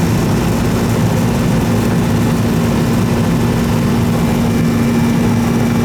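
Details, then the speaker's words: Old R-22 Goodman AC condenser that was running but not cooling, after service: steady low electrical hum and constant fan rush with no stalling or clicking. Noisy, growly compressor still running. "This sucker's still running. Still running. All I care about. Noisy, but still running."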